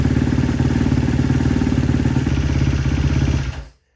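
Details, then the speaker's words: Rebuilt 2012 Kawasaki KX250F after a full engine rebuild, first kick start: rough single-cylinder idle with a light, quick ticking on each beat, traced to excessive intake valve clearance needing re-shimming. "As you can hear in the video, there was some ticking going on and I was trying to figure out what it was."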